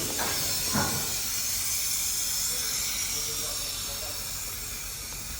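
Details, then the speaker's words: Peterbilt 389 car carrier with a newly installed J Ferrell air ride kit, dropped by the dash switch: a sharp, steady hiss that tapers off as the air bags exhaust and the truck lowers; normal deflate. "Let me flip the switch so I can show you how it goes down."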